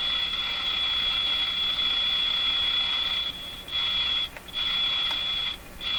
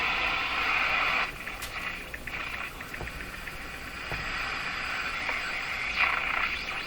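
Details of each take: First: Jewel Model 505 vacuum tube clock-radio during repair; steady high whistle drops out three times as wiring near IF can is wiggled, later traced to a factory-unsoldered wire. Intermittent audio from loose connection. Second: Jewel Model 505 vacuum tube clock-radio after repair and resoldering: hissy static with a faint station coming through at steady volume, no crackle or dropouts; receiving normally, dial inaccurate.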